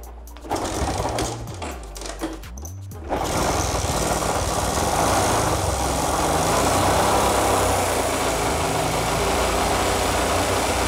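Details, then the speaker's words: Old cheap motorcycle, carburettor suspected faulty: after a few starting cranks it settles into a fast, clattery, uneven idle with a busy mechanical rattle, not from the exhaust; cause unclear. "pokoknya motornya bisa nyala cuman udah langsam Suaranya berisik banget bukan gara-gara knalpot tapi gara-gara emang udah ke tersebut di kode sore tadi"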